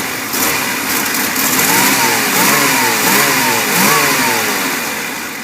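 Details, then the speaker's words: 1988 GMC Sierra 2500 4x4 with new plugs, wires, cap, rotor, EGR, IAC, fuel pressure regulator and TPS: starts and revs with a slightly uneven, lumpy beat; began idling rough after the exhaust was welded, owner suspects a failing catalytic converter. "And once I did that, it started idling a little rough. I believe it needs a new catalytic converter, but we'll still fire it up."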